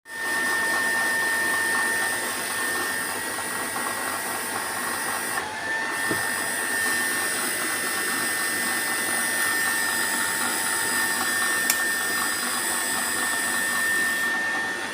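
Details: HPMONT HD30 inverter drive that previously would not start at all, load test after repair: steady, even motor whine with a constant high drive tone, no knocking or surging; drive and motor running normally.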